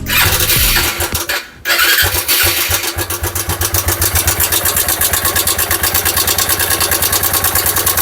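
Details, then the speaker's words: Dion 150 motorcycle just started: fast metallic clatter over the idle, in time with the engine; mechanic suspects camshaft, rocker arms or cam bearings. "escuchen El ruido que anda Aparentemente este ruido se se siente amigos como que fuera digamos el árbol de leva que anda dañado o los balancines"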